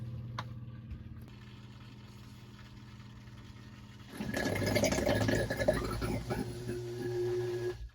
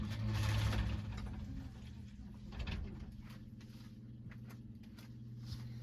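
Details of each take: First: Sump pump in a closet during a sound test of a sump pump cover. Steady hum, then a sudden louder slurping, gurgling surge as the water level drops and the intake is exposed, before cutoff. Gurgling when the intake is uncovered. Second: Sump pump running fully submerged in a closet during a sound test of a sump pump cover. A quiet, steady low hum with faint ticking and nothing harsh. Normal running.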